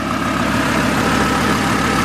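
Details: Chevrolet Colorado / GMC Canyon 3.5L after replacing a loudly noisy alternator: steady even idle with smooth mid-pitched hum, no knocks, squeals or whine; engine running normally.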